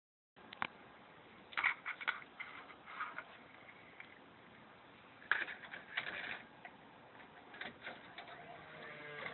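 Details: JVC cassette deck (1 3 12) running quietly with scattered irregular clicks, rattles and a faint whirr; the transport mechanism is noisy and the cause is unclear.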